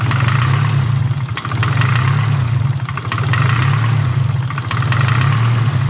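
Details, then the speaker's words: Nissan SR20DET (S13/180SX/240SX) with idle screw opened: low idle rumble swelling and sagging every second or two, hunting before steadying; with screw closed it starts and cuts out; vacuum leak suspected. "if i open this screw up the idle screw and then start it it'll hone a little bit and then it'll come back"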